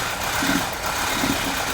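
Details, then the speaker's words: 1984 Porsche 944 at idle after a wiring repair: an uneven idle with occasional stumbles, surging and hunting. An intermittent misfire isolated to cylinder number two by checking each plug. "number two is just having an intermittent misfire and you hear this thing surging and hunting now if I go on any other plug it is just number two"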